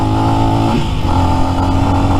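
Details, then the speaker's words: New Lifan X-Pect single-cylinder bike, under 100 miles, stock, at about eighth to quarter throttle: steady drone stumbles and cuts out intermittently then picks back up; spark plug ruled out, cause found to be valve lash out of adjustment. "you can see when it dies if I twist the throttle back and forth and back and forth it'll pick up at like quarter maybe maybe not even quarter may it's like eight throttle"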